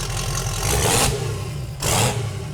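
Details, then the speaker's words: 1971 Datsun 240Z "Rotsun" turbo engine just started, fuel pressure 7 once pump primed: two sharp rev blips climb quickly and fall straight back to steady idle; revs freely and runs healthy. "Dude. That revs pretty fast. Yeah, it didn't have fuel pressure till it fired up."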